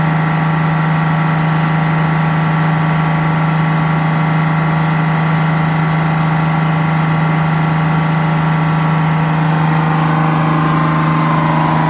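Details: GM 4104 bus diesel, warm after a test drive, following a transmission swap, new clutch, rear main seal and resealed valve cover gasket. Steady idle, firm low drone, smooth regular firing, no knocks or misses. Healthy.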